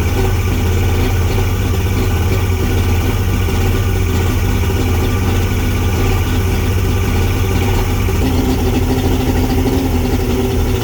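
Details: Steady, even idle from a Mercury Salt Water Series 150 two-stroke outboard, first start after last season, following replacement of a cracked carb hose that caused bogging at 2000–3200 rpm; smooth low burble with no stumbling or misfire.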